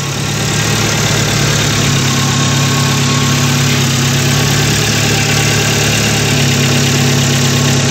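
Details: Chevrolet Spark after head gasket replacement and timing job, restarted before coolant fill: even, settled idle with steady low hum, no misses, ticks or knocks; engine runs smoothly.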